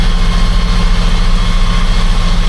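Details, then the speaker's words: Diesel tractor, recently recovered from flooding, running the PTO at the 540E setting in a lower gear while haying, heard through the open cab window: a deep, steady drone with an even beat and no surging or knocking. Handles the load fine. "But it's handling it just fine."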